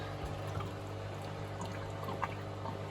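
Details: Miele WS5073 professional washing machine with its commercial sluice drain replaced by a domestic Miele drain pump: quiet, irregular gurgling and trickling over a low steady hum, no pump whine; drain gurgling.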